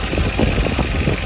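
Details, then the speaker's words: 2018 Chevrolet Malibu (GDI) that cranked but wouldn't start, after injector work and seal replacement: even, steady low idle with no stumbles or misfire; engine now starts and runs normally. "ये जी अल्हम्दुलिल्लाह हमारी गाड़ी बड़ी ज़बरदस्त किस्म से स्टार्ट है, कोई मिसिंग नहीं, अल्हम्दुलिल्लाह सब कुछ ठीक"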